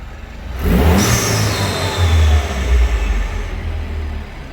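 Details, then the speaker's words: Citroën DS3 after performance induction kit install and MAP sensor refitted correctly, shortly after cold start: engine revs with smooth rise and whooshy intake note, settles to even hum, no lumpiness or juddering; normal. "does sound good we seem to be okay well the engine seems to be okay"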